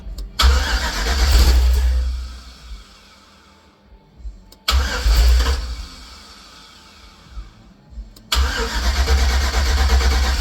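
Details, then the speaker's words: Heavily customized 1950 Chevy cabover with LS swap cranks but won't start: three long bursts of low starter churning with faint catches; VATS vehicle anti-theft system suspected still blocking start, to be deleted from computer memory. "We're thinking maybe the VAT is still causing problem. And that's uh the vehicle anti- theft system."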